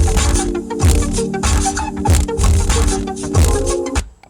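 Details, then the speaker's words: 2004 Toyota Avalon rear deck stock JBL subwoofer playing music, heavy bass breaking into a bad buzzy rattle; surround foam believed rotted or worn away, speaker being replaced. "as you can hear it's rattling very bad sounds terrible and I'm sure that the foam is completely gone or worn away on this just like all the other ones I've done"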